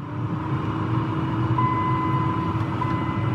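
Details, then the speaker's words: 2002 Dodge Ram 1500 4.7, new blower motor and resistor fitted after the blower worked only on high: stepping up through speeds to high gives an even fan whir with a steady hum and clean whine, no rubbing or rattling; normal. "next then High notice how smooth that sounds notice the sound of it that's how it's supposed to sound"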